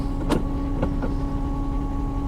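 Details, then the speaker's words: 1968 VW Type 3 idling after master cylinder and rear soft line replacement: a constant high hum over the idle from the electric fuel pump, which is mounted directly to the frame head; an isolator is being considered. Fuel pump noise. "but I can tell you 100% the fuel pump is running I might crawl under there and put an isolator in"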